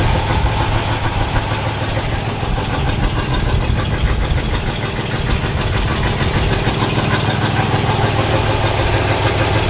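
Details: All-original 1962 Chevrolet C20 3/4-ton pickup, automatic, sat over 60 years, running on choke after replacing fuel pump (suspected failed diaphragm): idles loosely with uneven low chug but runs steadily on its own.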